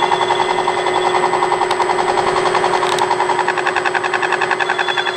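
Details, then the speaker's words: Harrison M300 lathe gearbox at 800 rpm after fitting new bushings: steady whine with an even pulsing rattle three or four times a second; noise greatly reduced but still present from worn bushings, other shaft suspected. "Hey, I tell you what, a massive improvement. Massive improvement. Still a noise. The noise is still there, but wow, it's gone down hugely."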